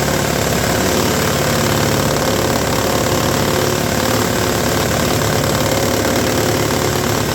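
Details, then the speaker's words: Roadside-rescued, rehabbed Toro S-200 two-stroke snowblower, electric-started, first test: rough running with a loose, uneven slapping knock around four per second as the drum hits the scraper; a 2x4 wedged between them in storage was suggested to reshape it. "they take a 2x4 and wedge it between the drum and the scraper there when they're not using it helps kind of Reform it back into a shape where it doesn't slap and make obnoxious noises"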